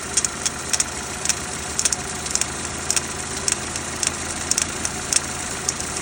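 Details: Renault Duster 2.0 F4R, 2017, just after a cold start: crisp, fairly regular ticking, roughly two a second, over a steady idle. The knock lasts about 2 minutes and then stops until the next morning; its source is unknown.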